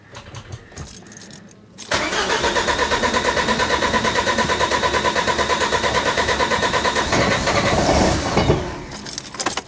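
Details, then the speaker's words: Ford Mk4 Fiesta van, first start after swapping in a used running 1.8 diesel engine, new cat and expansion tank fitted: brief crank, catches at once, steady even clatter about three pulses a second; healthy start and idle. "o look out it sounds well good doesn't it"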